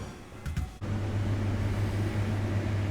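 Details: Patton under-bench fridge evaporator fan after evaporator replacement. It had vibrated violently from screws dropped out of its bracket, now refitted with screws that fit. After a click, a steady low hum with no rattle: running smoothly.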